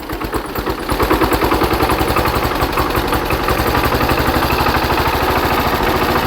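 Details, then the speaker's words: Hatz diesel engine converted to Otto cycle on woodgas, after ignition timing changed about 10°: regular firing thumps about ten per second, even and steady with no misses or stumbles; engine running well, sounds much better. "I think the ignition Advance is too too much let me uh ache that a bit and we're back it's about 10° earlier now now I'm very oh that sounds a lot better"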